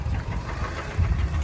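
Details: 2013 Kia Sportage AWD Prestige, 120–125k km, began knocking around 100k km and knocks both cold and hot, a bit quieter hot. Revved briefly, a deep heavy knock under the roar rises with throttle. Confirmed piston slap from scored cylinders.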